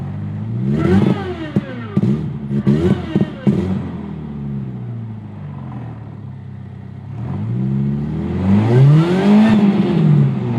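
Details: VW 2.0 petrol engine revving with an uneven, stumbling beat and sharp pops; codes for misfire on cylinders 1 and 4, random misfire, idle adapt and CPS; coil found cracked with broken cable, owner suspects the coil.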